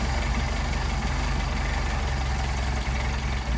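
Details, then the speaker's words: Mercedes 190SL with Solex carburetors at idle: low idle with brief stumbles as the idle mixture screw is turned too far, smoothing out when screwed back out; stumbling idle from incorrect idle mixture. "stumbles again screw it back out where we get a nice smooth idle"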